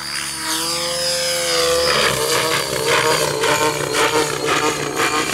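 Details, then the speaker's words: Compass 7HV RC helicopter in flight: rotor whine with a loose, uneven belt rattle pulsing about twice a second. A bearing is suspected to be going bad. "You alright? Yeah, I'm cool. Hear that? Belt rattling. Yeah."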